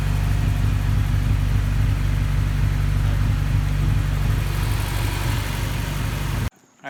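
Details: Honda K20A2 engine, first start after wiring work, exhaust fitted and ECU tune being adjusted; steady, even low engine note with no knocks, misses or rattles, running smoothly; possible O2 sensor fault or bad relay remains.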